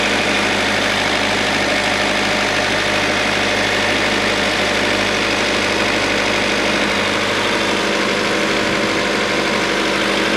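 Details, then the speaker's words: Acura idling right after new AC, alternator and power steering belts, idler pulley and AC compressor were installed: steady, even idle with a smooth hum and no squeal or chirp from belts or pulleys. "okay. She's running nice."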